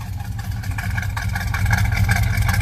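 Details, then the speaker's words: Monte Carlo V8 cold start after a stiffer carburetor throttle spring; steady, even idle with smooth low rumble building slightly, no stumble or miss, now running much better. "that already sounds better let me check for leaks then I'll pause the camera"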